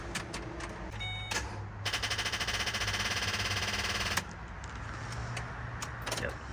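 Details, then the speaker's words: Ford Explorer with corroded, very dead battery, no jump pack connected yet: rapid, even clatter of clicks for a couple of seconds when the key turns, with no cranking; flat battery chattering the starter solenoid. "So, I don't have the uh the Hulkman hooked up yet. Just wanted to show you guys how dead the battery is in this."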